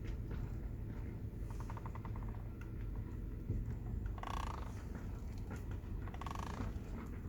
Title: Mazda3 2010 - weird noise coming from the steering wheel